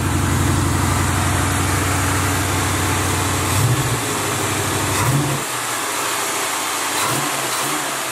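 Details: Box Chevy V8 during a return build, with good oil pressure and no leaks: a steady rumble with a couple of quick blips before settling; smooth and even with no miss, running the best it ever has.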